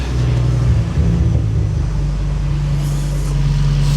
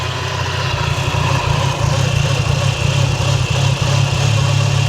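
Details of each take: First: Skoda Octavia estate fitted with an Audi RS3 2.5L five-cylinder DAZA engine, idling after the whirring noise was traced to the alternator and the aircon was deleted: a deep, smooth idle with one brief blip and no front-end whirr. It runs normally. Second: Audi RS3 2.5-litre five-cylinder (DAZA) swapped into a Skoda Octavia vRS Mk III facelift estate with custom exhaust, idling: steady horrible whirring whine over low rumble, diagnosed as a worn alternator bearing; new alternator to be fitted.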